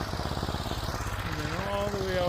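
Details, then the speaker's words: Snow blower in freezing cold after clearing snow: uneven chugging beat losing rhythm and slowing before recovering, about to stall; running rough, owner suspects it is running out of gas. "It's not running 100%, so whatever."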